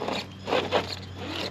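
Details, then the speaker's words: Traxxas TRX4 2021 Bronco RC crawler, portal delete straight axles, Holmes Hobbies 45T 550 brushed motor; short raspy scraping bursts over low motor drone while crawling; gear mesh off, owner suspects pinion grub screw catching edge of spur gear. "yeah there I've done something wrong with the gear mesh there it's still working so I'm guessing it's just the grub screw on the pinion is uh impacting the spur a little on the edge that's what it sounds like"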